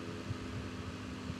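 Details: Electric fan that had a rough, grinding sound, after lubricant was applied to the axle; steady, even low hum with no scraping or rattle, fan back to normal.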